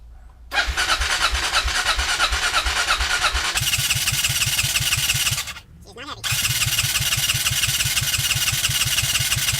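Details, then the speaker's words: Kawasaki KLR650 single-cylinder thumping about three beats a second, idle jumping and uneven after restart; owner suspects vacuum leak from broken choke linkage, before new choke and air pilot screw fitted. "Hear the jumpiness of the idle? I'm thinking that's like a vacuum leak caused from the crappy choke linkage."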